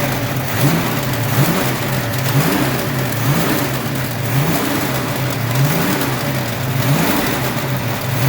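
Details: Ford 302 5.0 V8, never run before, idling: repeating tick-and-rise about once a second over low hum; internal knock persists with belts off, unchanged pulling each plug wire; owner suspects piston slap, broken wrist pin, timing chain or torque converter area.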